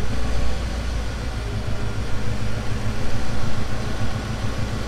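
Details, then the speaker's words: 1990 Mercedes C126 560 SEC, Euro-spec AMG car, long-sitting: idle rises and falls in slow waves (surging) after an idle fix, then corrects itself; owner suspects a sticking injector and hopes cleaning the injectors and driving will fix it. "oh spoke too soon look at that having some weird surges here interesting"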